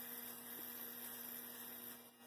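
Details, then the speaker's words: Athearn Blue Box F45 model locomotive, 280 motor as oil is applied to the bearings: faint steady hum with no scraping that suddenly gets much quieter near the end once the oil takes effect. "Oh, did you hear that? Suddenly quieted down an awful lot. That got quiet."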